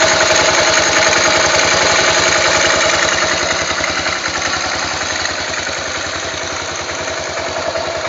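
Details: Yamaha 500 XT single-cylinder idling after timing chain tensioner adjustment: sharp regular mechanical clatter over exhaust beat; abnormal top-end noise, source undetermined.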